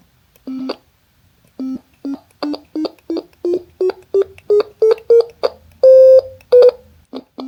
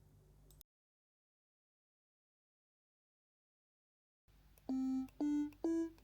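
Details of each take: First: DIY ESP32 Stylophone-style synth with an I2S audio chip and speaker, on its first hardware test. Short sine notes step up in pitch, each ending in a sharp click because the code stops the tone immediately on key release, with no fade-out. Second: DIY ESP32 Stylophone-style synth with an I2S audio chip. Four short tones step up in pitch, each ending smoothly with no click or pop.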